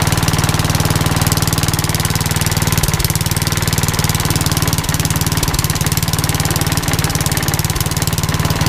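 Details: Old rusty Tecumseh 10 hp HM100 single-cylinder after new genuine carburetor and governor linkage correction: fast, even putter at steady speed, no hunting or misfires; runs great now.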